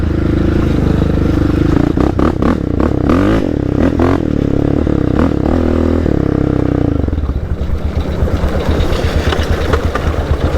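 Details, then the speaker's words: Raptor quad on AOAA trails: rough screeching, clattering and scraping from the drivetrain, worst when the clutch is pulled in; owner guessed the peg or something ungreased, but it was the rear carrier failing. "I don't know what the heck that screeching is. Probably just got to get the wiggle wobbles out. I have no idea what that is."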